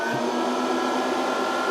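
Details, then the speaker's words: Variable frequency drive with long-idle capacitors being slowly reformed, supply raised to about 100–110 volts: small cooling fan comes on under voltage, spinning up to a steady even whir with no rubbing or ticking; normal. "it just the fan came on under voltage. Okay, that makes sense."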